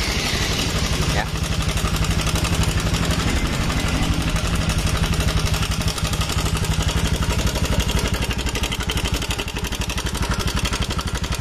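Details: 2018 Honda Beat Eco digital scooter, relatively young, oil changed two days earlier and never run low on oil: loud, rough clattering at idle, traced to a stuck cam chain tensioner, fixable without an engine teardown.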